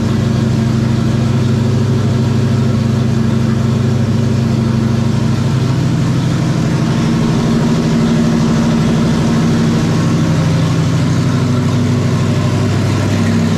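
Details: 1994 Terry Labonte Oldsmobile race car V8, after replacing bad spark plugs and plug wires (arcing wire, near-zero plug gap): deep steady rumble with even beat, no stumble, pops or misfire; clean healthy idle.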